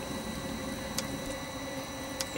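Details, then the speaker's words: Webasto Thermo Top C diesel water heater bench test: soft, low thudding clicks about every second over a faint hum, the fuel dosing pump's sound when full of fuel (hollow when empty); ticking normally. "you can actually tell when the pumps full of fuel because it's it's more of a hollow sound when the pump is empty and it's more of a low sort of thudding clicking sound when when you've got fuel in the pump"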